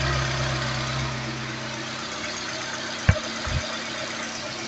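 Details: Peugeot 206 CC S16 after replacing hydraulic tappets, new timing and accessory belts and engine mount, engine warm: smooth even idle with no valvetrain ticking, one brief clunk; still some smoke and burnt-rubber smell.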